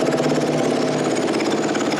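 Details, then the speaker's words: 2010 Kawasaki KX450F no-start, top end rebuilt about a year ago with new valves and cut seats, idles steadily but slightly lumpy after brake cleaner sprayed into the airbox; runs too long for brake cleaner alone, so fuel pump works; fuel delivery still suspected. "now you'll know that it's idling right now i think well the fuel pump must be working because i didn't spray enough brake cleaner for it to run this long"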